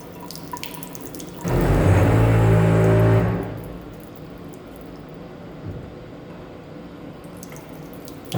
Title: Faucet makes loud noise when turned on